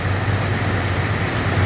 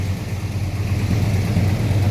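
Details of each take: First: 1981 El Camino with a computer-controlled Quadrajet: smooth even V8 idle with steady rumble, no knocks. It popped at first; now just over 30 psi oil pressure, alternator charging. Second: 1981 Chevrolet El Camino V8 with computer-controlled Quadrajet, running on about 20-year-old fuel topped with fresh gas: low, steady burble at a slightly high idle, popping a little; runs evenly but idles fast.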